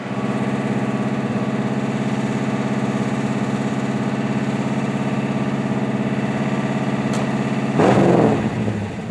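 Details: 1963 Impala SS inline six (230 or 250, not 292) with OEM fuel pump, new lifters with one heard slightly sticky: steady, even idle, no stumbles or misses; fuel pump good, normal idle.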